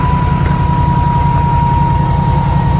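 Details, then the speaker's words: Duramax diesel truck after engine rebuild with head gaskets replaced, 5-inch exhaust. Deep, even low rumble with steady pulsing, no knocks or misses, "just purring": normal healthy idle after repair. "Yes, definitely. Man, doesn't that sound good? Just purring."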